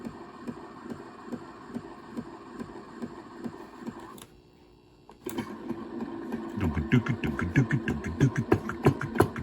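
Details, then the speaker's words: Tele-Tone record player (solid-state, not tube) running in gear with the cartridge working: loud, steady thump-thump about three times a second as the empty turntable spins, from a dent in the idler wheel. "let's put her in gear there she goes boy it's noisy as hell you hear that and you hear the from the dent in the freaking idler"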